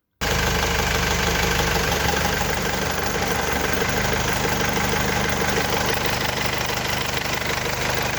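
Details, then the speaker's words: Mercedes W210 with an A/C fault, after clearing the refrigerant pressure sensor fault and recharging with R134a: the engine idles evenly and the compressor engages and runs smoothly without clatter or squeal. A/C now works normally. "the pressure our vacuum has dropped as you saw almost to three is now normalizing the compressor started all the fault was the sensor and the master who lowered the freon"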